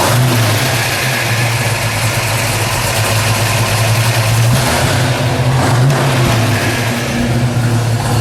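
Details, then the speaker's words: 1971 Ford Boss 351 Mustang with its factory 351 CI V8 and ram air hood, low mileage: deep, even, lumpy V8 idle that picks up cleanly on a light throttle blip and settles back smoothly; normal idle and revving. "Sounds good. That sounds real good."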